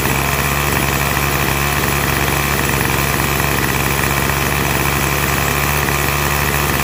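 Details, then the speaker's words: Curb-found 25cc Craftsman two-stroke trimmer; compression fine. Steady high idle buzz, even note with no surging or misfires; runs clean. "So, it looks like compression's fine. Everything's fine on it for now. I mean, will it run forever? Probably not, but for the time being, it seems to be running fine."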